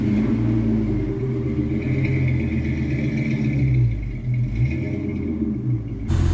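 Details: V10-swapped Mustang after MAF sensor rewiring and reconnecting a forgotten ECU plug: deep steady low rumble, even beat, no misses over these seconds.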